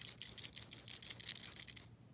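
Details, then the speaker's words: Frigidaire LFPH33M4LM mini fridge not cooling: compressor start relay (4.7 ohm) removed and shaken gives a loose, dry, thin rattle with about a dozen quick shakes; rattling relay is bad, replaced. "so these relays if you shake them and they make noise they're bad"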